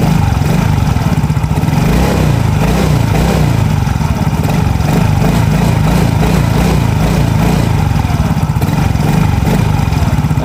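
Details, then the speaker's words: Yamaha Mio J that had stuttered (brebet) on its stock injector, now running an NMAX injector with finer spray: even idle and smooth light throttle blips with clean drop-back, no stutter or misfire; normal idle and throttle response. "jadi bisa dilihat sendiri dia RPM Intel gasnya normal langsamnya normal pada saat di tarik gas sedikit yang nggak brebet ya"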